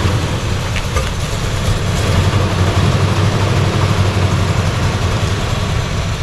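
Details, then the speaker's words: Vehicle just started after sitting about 8 months, 80 degrees out: lumpy, uneven low rumble with irregular stumbles, rough idle close to stalling; likened to a "valve fart", suspected garbage fuel, unconfirmed. "Yeah, it sounds like it's doing like a valve fart."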